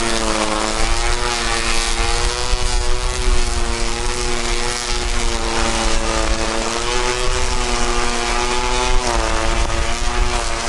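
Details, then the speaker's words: Ryobi One Plus P2080 18V cordless string trimmer, new out of the box on test: steady, even buzzing whir holding one pitch, no surging or rattles. The motor sounds healthy, but the head wobbles visibly on its single-wheel design. "It's really, the motor sounds healthy, but you see this movement right here in his head?"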